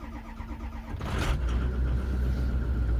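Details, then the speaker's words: 2005 Ford Excursion diesel during a turbo and injector diagnostic: brief crank, then it fires right away into a steady, even idle. Starts well, but a cam sensor code set at startup. "Starts pretty good."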